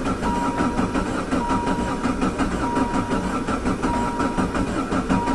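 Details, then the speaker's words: Mechanically injected diesel van with Jetta diesel conversion, high kilometers, sat since last fall, glow plugs used: long even starter churn with regular compression beats but no catch; injection pump had lost fuel and air, fixed by priming the pump. "Almost. It's just sucking that fuel that's ran away."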